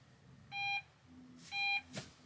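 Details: Opel Rocks-e electric microcar at about 1,900 km: in forward or reverse it only jerks, then two warning beeps and a click as the drive cuts out. Owner suspects motor damage; auxiliary battery voltage checked.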